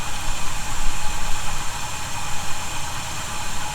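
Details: 1971 Chevy C10 V8, cold idle after snugging up loose bolts suspected of a noise: deep steady even rumble, no whistle or hiss; owner will keep monitoring but definitely doesn't hear it now; normal idle.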